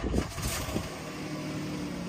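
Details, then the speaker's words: 2010 Jeep Wrangler Sahara, 3.8L V6 gas, automatic, 118,000 miles: short crank catches quickly into a smooth, even, quiet idle with no knocks or misses; healthy start and idle. "Starts up easy, guys."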